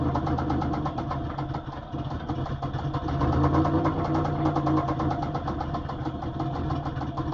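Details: 2004 Pontiac Grand Prix GTP Comp G with top-swapped, XP-cammed L26 V6, 1000 km on the setup: steady deep knock about three per second at idle; suspected spun bottom-end bearing, unconfirmed.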